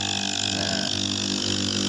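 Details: Rebuilt refrigerator compressor with replacement piston, test-run for fit before assembly: steady, even hum with a bright whirr, no knocking or rattling; smooth running shows the piston fit is right.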